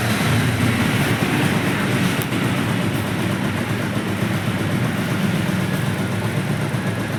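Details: Bajaj Pulsar 150 BS4 after CDI coil replacement for a no-start: a steady, even single-cylinder thrum with a deep low exhaust note and no knocks or misses; running smoothly and healthy after repair.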